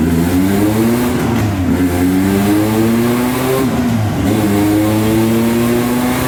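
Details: Scoff R5 GT, 963hp dyno pull on C85 fuel, 3.3 bar boost, GTX 4202 turbo; engine pitch climbs hard but stumbles and dips briefly twice, misfire under load.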